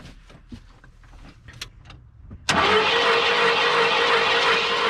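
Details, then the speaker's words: 1991 Ford F-150 after bolts were reinstalled: starter whirs and hits the flex plate steadily but the engine doesn't turn over, with no cranking rhythm; broken flex plate, owner hopes the crank isn't also broken. "and the motor's not turning over so that means our flex plate is broken"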